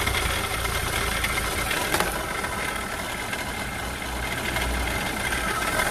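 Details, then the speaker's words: Renault Clio 3 1.5 dCi 85 hp diesel, 300,000 km, before repair: idle with a rough, gritty rattle and a faint steady whine. "on a un problème du bruit entre les allées on a un problème de bruit vous l'entendez et pas pour rien"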